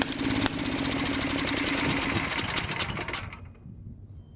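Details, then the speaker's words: Fairly low-hour late-model Tecumseh Snow-King small engine with a leaking intake valve runs poorly: a ragged, skipping beat that falls away and nearly stalls. Choke off brings backfire and stalling, easily mistaken for a fuel or timing fault. "so as you can see the basic symptoms of the problem were just that the engine doesn't run very well it sort of misses and when you try to take the choke off it backfires and stalls out"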